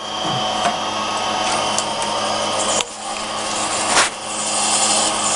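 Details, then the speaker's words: Radio Shack TRS-80 Model 16 (6 MHz) floppy drive on first power-up with a TRSDOS-16 4.1 disk inserted: continuous harsh scraping whir with sharp clicks about every second, sounding like it is eating the disk; grinding on disk insertion, cause unclear. "that does not sound good ooh I don't know if it's supposed to sound like that I've never never grew up an inch floppy or four sounds like as eating that disk"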